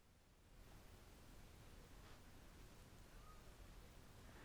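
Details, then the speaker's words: Avalon VT-737 tube mic preamp before tube replacement: steady soft hiss with nothing playing, even and unchanging, persisting even with preamp gain at minimum; owner suspects old tubes. "there is an underlying hiss in the background and believe me when putting it to post this hiss becomes very noticeable after normalizing or even compression"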